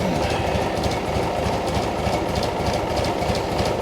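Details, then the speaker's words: Cub Cadet 1872 garden tractor, choked start after fixing the broken rear-end housing mount and failing hydraulic lines; steady, even idle with a regular low beat, about three pulses a second, no knocking or misfire; runs nicely once cleaned up. Normal idle. "This actually idles kind of nice when it's cleaned up."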